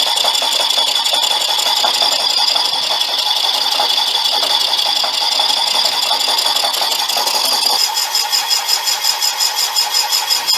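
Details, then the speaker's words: Boring out a brazed repair in a cylinder bore of a '59 flathead engine, finishing to final size: high cutting squeal with intermittent chatter and a pulsing beat as the tool skips over voids in the braze. "yeah there's going to be some voids on this side i think even at the finish size i've got no choice have i but to just go to the finished size the machine's not too happy with it with an intermittent"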